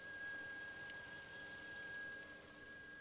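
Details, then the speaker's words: 2007 Volvo S80 V8 at idle, bonnet area: thin, steady high whistle over quiet idle, said to follow revs and road speed and settle as revs fall; an earlier brief grinding at start; high-pitched whine, source unknown. "I believe the more you rev it as well and the more you the faster you drive it the the noise follows if I just give it a blip and you hear it starts to settle down as the revs start to fall"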